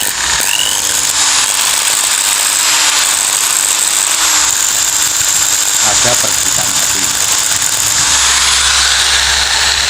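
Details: Makita drill running with a rough gritty growl and strained whine, losing power and speed, overheating and sparking; worn, burnt carbon brushes.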